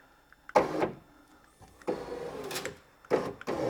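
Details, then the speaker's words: Vauxhall Opel Corsa D, left door after smashed glass and regulator replacement: power window motor runs in bursts with a dry scraping rasp as glass moves; suspected leftover glass in the window channel, bottom rubber out. "sounded like glass i think i might have a bit of glass in this channel down here"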